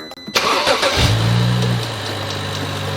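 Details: 2011 BMW 335i convertible, N55 engine, started and idling: light, fast irregular knock riding on top, louder from underneath. Owner first suspected the hydraulic pump or engine damage; the cause was the belt tensioner, which was replaced.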